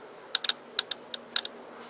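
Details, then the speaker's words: Early-1990s Honda Harmony 1011 riding mower that died and had a dead ignition switch: a few sharp, dry clicks as the body-power relay snaps in after finding a broken, corroded terminal connection. "that relay for the body power coming on I click that oh it's on"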